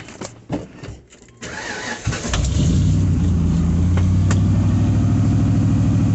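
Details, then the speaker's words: Ford Bronco: it cranks, catches and settles into a low, loping, stumbling idle with a regular pulse, sagging lower than normal; owner suspects tampering. "oh let me tell you see here at idle like that that's not rigged that's not normal my truck doesn't idle down like that make that noise right there"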